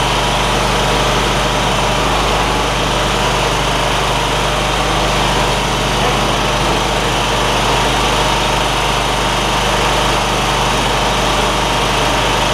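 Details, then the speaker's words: John Deere ZTrak zero-turn with Kohler V-twin, sat 2 years: steady even drone with light rattle of oak leaves hitting the cooling fan; normal running. "Those little oak leaf things that are hitting around on the back of the cooling fan. They'll go away in a minute."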